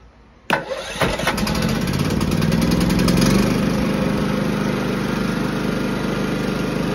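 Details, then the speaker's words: Firman W3650iE inverter generator that previously ran only on choke, after cleaning a partially clogged emulsion tube in the carburetor; catches after a couple of pulls and runs steadily off choke with no hunting or surging; fixed. "and there we go we have fixed the fueld Restriction issue due to a partially clocked emotion tube in a carburetor now this firman 3650 has no problem running without the choke"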